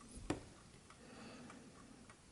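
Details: 1968 JAZ VINIC 1260-13 "DISCRETO" French wind-up table alarm clock with a mechanical caliber 4PA movement, being repaired. Soft, even ticks about every 0.6 seconds over quiet room hiss. A normal, discreet tick.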